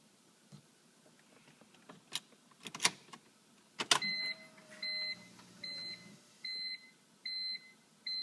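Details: 2003 BMW M3 SMG, 108k miles, after a slipping clutch and a loud screech on a downshift: clicks as the selector moves, then a low hydraulic pump hum under a repeating warning chime; stuck in neutral, won't start, salmon relay already swapped.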